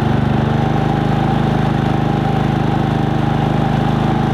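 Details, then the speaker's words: Harbor Freight Predator 3500 inverter generator converted to propane with a Nash tri-fuel kit, running normal eco mode off under a 1500–1700 W heater load: an even, steady beat of about three pulses a second that holds firm. "let's go ahead and put it under a load and see what it looks like or what sounds like so we've got my little heater hooked up now 1700 watts 1500 watts something like that"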